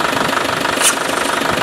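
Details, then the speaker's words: Land Rover Defender Tdi (Spanish 110) diesel running: sharp rush of air as the vacuum hose is pulled off, servo pulling itself in; brake vacuum pump, once suspected faulty, pulling good vacuum and working properly. "watch what happens to the servo if i pull this out can you hear that that's pulling a good vacuum and you may be able to observe here"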